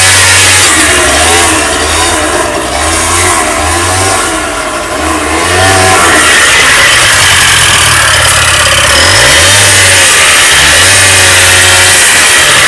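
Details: Honda Dio 27 two-stroke scooter after fuel pump replacement and carburetor cleaning for a no-start: crisp buzz rising with throttle blips and dropping to a steady even idle, running properly.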